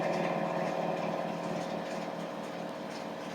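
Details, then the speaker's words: 11-year-old Samsung WF419AAW/XAA front-load washer at high spin after tub wobble, banging and no-drain repair: steady, even drum hum with no banging or thumping. "here it's going good high speed and walk with my feet so that's a satisfying fix"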